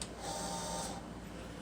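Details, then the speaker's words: Chinese portable CNC plasma cutter with PrimeWeld Cut 60, Z axis jogged from the torch height controller: short even high stepper buzz under a second, stopping cleanly; normal Z-axis movement. "it has a menu system to change other parameters you can update this you can control your Z up or down"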